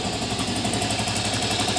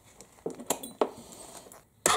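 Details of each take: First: 1998 Aprilia Leonardo 125 scooter, long stored outside, after battery replacement and carburettor cleaning: quick, even idle with a steady beat and no misses; it idles normally. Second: 1998 Aprilia Leonardo 125 scooter after carburettor cleaning and new battery, first start attempt: starter whirs about three seconds without catching while the fuel pump fills the empty float bowl.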